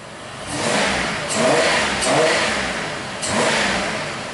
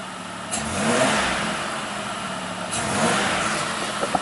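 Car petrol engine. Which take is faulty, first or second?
second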